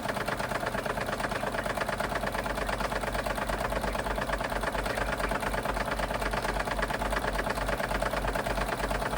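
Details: Wilesco D32 toy steam engine on its first run after restoration: a quick, even chuffing beat about three a second, steady with no rattles or knocks, plus some gurgling; the engine sounds healthy.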